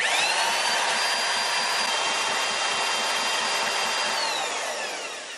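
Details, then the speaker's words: 3D-printed gas engine with new piston and connecting rod, lower compression ratio, carburetor fitted, alcohol fuel system: fast starter whine with a steady compression pulse about three per second, noticeably more compression, winds down without firing; cranks well but won't start. "this time you can clearly hear has a lot more compression when it's turning over"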